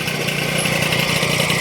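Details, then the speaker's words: Honda Dio scooter two-stroke engine after full rebuild (crankshaft bearings, piston, engine bushing replaced), carburetor primed with fuel, starts on one kick: buzzy even idle with no rattle or misfire; normal idle. "Pag ang makina ng Dio walang singaw, one click lang yan. Pag kinik nyo yan, start agad yan, lalo may pondo na ng gasolina yung karburador."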